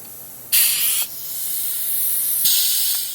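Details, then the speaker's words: Powermatic Timesaver sander top tension roller air cylinder: two sharp bursts of high, hard air hiss each time pressure is applied; air leaking past the cylinder end seal, fix is removing snap ring and replacing seals. "you probably can hear that but it's leaking somewhere around the seal there on the end"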